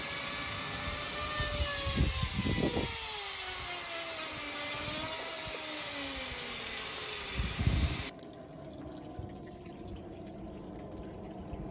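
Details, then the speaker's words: Blocked dryer vent above a kitchen ceiling, with a bouncy-house blower pushing through it: blower roar with bursts of gurgling and splashing as trapped water from laundry moisture is forced through the duct. "the kitchen ceiling a I can hear it it's like gurgling"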